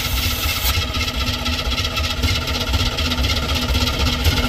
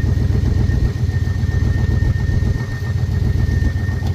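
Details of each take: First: Square-body dump truck sat about 10 years, flooded carburetor: engine turns over and runs rough and uneven, loping without steady beat; stuck carburetor float needle. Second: Square-body dump truck after sitting 10 years, after freeing stuck carb float and new gasket: deep steady V8 burble, even lope, no misses or knocks; normal idle.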